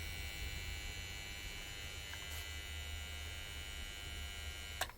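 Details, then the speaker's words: 1965 Bell & Howell 652 16mm film projector, trash find, first power-up in forward: low steady motor hum and faint buzz with rumbling but no turning, slight pop; motor seems underpowered, owner suspects the old capacitor. "We have a lot of rumbling and no action. So, um, that was a slight popping sound then, but it's not poed BCD, which is a good sign."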